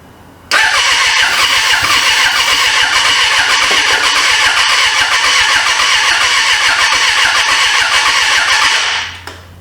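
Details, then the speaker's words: 1996 Suzuki GSF600 Bandit, first start after 14 years sitting, wiring fixed and carburetors cleaned: fast, even starter cranking about four pulses a second for eight seconds with no catch; owner suspects carburetors flooding; starter getting hot. "let me uh give it a little bit more shot still got gas in it carburetors are probably just flooding but it is trying to"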